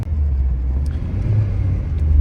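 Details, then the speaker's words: 1986 Saab 900 8-valve with Bosch K-Jetronic, back on road after sitting three weeks with ethanol fuel: idles smooth but low-throttle take-off gives uneven chugga-chugga stutter that smooths once throttle opens further; owner first suspected fuel distributor, cause was plugged fuel injector. "But when I take off at low throttle and I transition from low throttle, barely open throttle, see it goes chugga chugga chugga chugga chugga. And then once the throttle gets open enough, all of a sudden it's like it really smooths out, right?"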